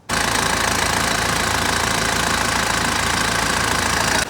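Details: BMW E87 120d diesel, 17 years old, just after fuel filter change and priming: steady, even diesel clatter at idle, loud but smooth with no misses, knocks or leaks; healthy idle.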